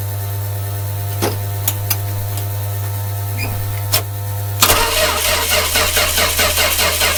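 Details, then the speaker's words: 1966 Dodge A100 van, 225 CI Slant Six, cold start after long sitting: steady low hum and clicks, then even cranking with no firing; engine cuts out rather than dying like fuel starvation, no spark at the coil, electrical fault suspected. "what if we ran another hit still feel and there because the flow could be sticking shut although they become strange after the fact where we lost our spark something's going on"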